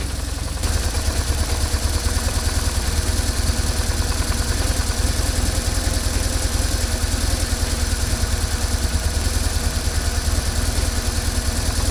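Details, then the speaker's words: BMW R1150GSA boxer twin idling after the original left-hand cam chain tensioner was swapped for the updated version: steady, even low thump with no chain clatter, then shutoff. The rattle is gone, though the throttle body butterflies still rattle. "Fortunately, the noise just went away, so the repair was successful."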